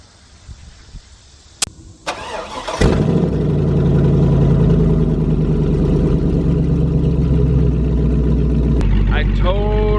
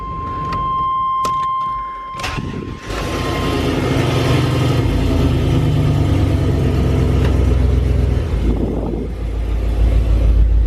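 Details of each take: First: LS-swapped OBS Chevrolet Suburban V8, exhaust cut right behind the catalytic converters after at least one converter was clogged: cranks and settles into a loud, raw, booming idle; straight-pipe exhaust with no muffler or cats. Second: LS-swapped OBS Chevrolet Suburban V8 after new custom exhaust and removal of clogged catalytic converters, first start on the ground: chime, then a deep even rumble through a few blips, no ticking or leak; sounds like a stock truck, normal exhaust note.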